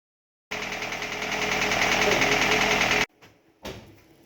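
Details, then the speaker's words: VAZ 2112 petrol engine after a poor rebuild by previous owners, running a few seconds with a steady regular knock about three beats a second; leaking valve stem seals and scoring in one cylinder found. "Вот такой вот у нас мотор стучащий после ремонта так называемый ремонт если это можно ремонтом назвать"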